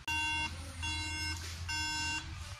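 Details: Apple MacBook model A1369 on power-up: three clear high beeps, each about half a second with short gaps, and the display stays dark; suspected graphics chip, CPU or RAM fault, not confirmed.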